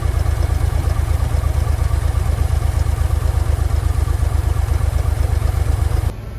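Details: Forklift that sat for years, started after a carburettor clean with the battery charger attached: deep, steady low thump at an even idle pace, no misses or knocks, then it drops away; clean idle.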